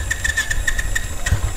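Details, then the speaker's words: New Royal Enfield Classic 350 single at its delivery check, in neutral: catches and settles into a steady, even thumping idle with a light regular tick, the normal basic engine sound. "Now, the main thing is hear the engine noise. This is the basic sound of the"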